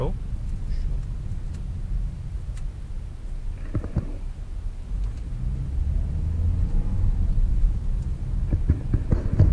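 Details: Toyota Corolla on a road test over potholes after workshop service. Low road rumble with only dull tyre thumps over the potholes and no clunks or rattles from the corners; suspension sounds tight and healthy.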